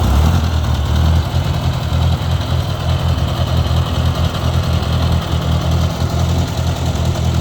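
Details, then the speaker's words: 1956 Ford 640 tractor, first start in years after pinched oil line fixed: low steady chugging idle, no knocks or compression issues, a little smoky and running rich, carburetor needs adjusting; normal idle. "but it sounds like it's running really good guys I don't hear any uh compression issues or anything like that it's a little smoky"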